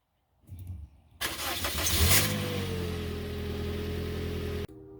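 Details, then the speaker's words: Toyota Corolla, next-morning cold start after repairing intake cam gear rattle without replacing the cam gear: quick crank, clean catch, brief rev flare settling to a steady smooth idle with no startup rattle; normal cold start. "and that's how your engine should sound when it starts no rattle this is the next morning no rattle anymore it's all fixed day two"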